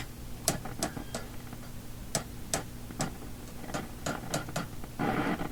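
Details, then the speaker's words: Philips Sonate BA581A vacuum tube radio, chassis being probed near a cleaned tube socket: irregular sharp pops and crackles over a low hum, coming and going; owner suspects something shorting inside causing breakdown crashes, cause not confirmed. "this thing is shorting out inside or something to make all those breakdown crashes"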